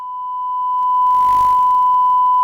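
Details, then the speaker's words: Panasonic NV-HD100 VCR from the junk pile, suspected bad video heads, playing a recorded test tape with 1 kHz tone: steady clean tone without dropouts or warble, slightly clicky; hi-fi sound plays back normally. "anyway There You Go high-fi audio mostly working seems to be working"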